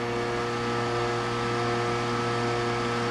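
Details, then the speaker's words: Budget PC in a cheap, flimsy case with an IDE DVD drive: steady whir carrying several fixed hum tones as the disc spins, the drive's vibration making the flimsy case resonate. "it's one bad thing about cheap flimsy cases man the CD rounds get so"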